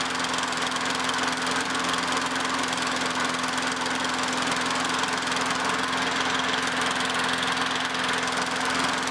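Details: Craftsman 917.377300 mower with Tecumseh Eager 1 6.6HP engine, after carb cleaning and cleaning the coil and flywheel, checking a breather leak: steady, even single-cylinder drone at constant speed with no misses or surging; running normally.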